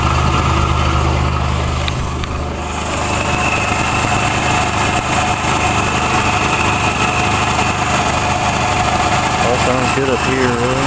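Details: 1985 Nissan Hardbody King Cab SE 4x4, VG30i V6, 5-speed manual, 160,030 miles, 2-inch catback with turbo muffler, warmed up: quick light tick about three a second at idle, seeming to come from the exhaust; normally louder; cause unknown, owner wonders about oil pressure.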